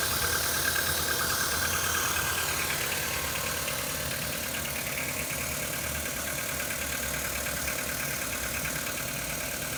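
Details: CFNA engine at cold idle: quick, even knocking about three per second, steady throughout; cold engine knock with no obvious cause.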